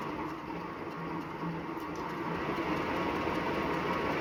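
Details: Wahoo Bike Shift after 379 km: steady dry rubbing hiss with faint swish about three times a second, with every full pedal stroke; drive belt rubbing, warranty claim.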